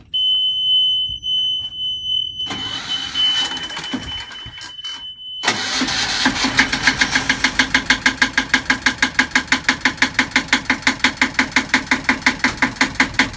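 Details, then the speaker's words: Sailboat Yanmar diesel, first start attempt after first fuel in tank, new batteries and priming: warning beep, then steady starter chug about three turns a second with no catch; cranks without starting, cause unconfirmed. "okay so this is the first attempt that's starting the engine it's not going to start right now but we're gonna try it out see what happens"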